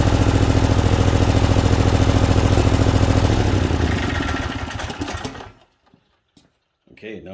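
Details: Briggs & Stratton Vanguard V-twin (title says 20 hp), first start after head gasket and cylinder head replacement and oil cooler install: slightly rough at first, then a steady even beat with no knocks or misses; runs healthy.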